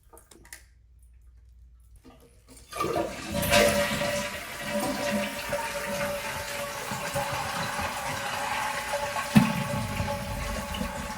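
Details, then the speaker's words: Toilet after replacing the squealing fill valve with a Kohler silent fill valve, water 1 inch below overflow tube: flush and smooth even refill, no hissing or squealing. "Now, turn the water back on slowly and let the tank fill. No hissing, no squealing, just peaceful, quiet water flow."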